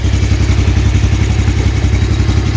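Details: 2015 Yamaha Jupiter Z1 (2SU) engine listened to from the front before clutch replacement; steady even beat at constant speed with no odd knocks or ticks from the top end, front sounding fine while the right side rattles.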